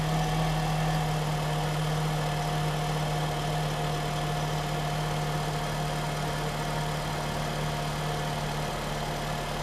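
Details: 2007–08 Honda Fit four-cylinder at 178k miles, idling after a spark plug replacement with plugs torqued to 13 ft-lb. The idle is smooth and steady with no misfire, ticking or stumble; the engine runs like a top.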